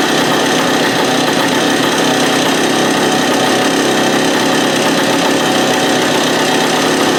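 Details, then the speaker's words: Free stand-up two-stroke jet ski after fuel-line drilling repairs, started on choke with the idle turned out: a harsh, ragged racket with uneven popping, still running rough and bogging. The owner later suspects the case vacuum line was misrouted. "Nuts. Still doing the same thing as it was before."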